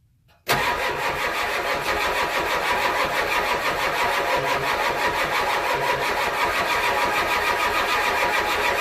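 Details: 1993 IDI diesel truck with the fuel injection pump still stock before a DIY fuel-increase adjustment; cranks briefly, catches quickly and settles into a steady, even idle clatter with no missing or knocking.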